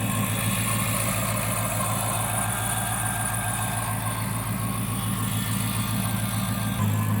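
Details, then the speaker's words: Chrysler 300C HEMI after dropped-valve-seat repair, running with coolant still to be bled. Smooth, even idle with a steady low rumble and light fuel-injector ticking; engine sounds super smooth, a normal idle. "we got gas this engine sounds super smooth considering everything that happened to him"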